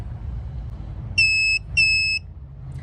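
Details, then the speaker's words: Elsema MC double swing gate motor controller, new replacement board, first power-up on its 24 V supply with motors 1 and 2 wired in: two clear high beeps about half a second each with a short gap; transformer working, normal power-up. "all right we've got power so that Transformer is working good"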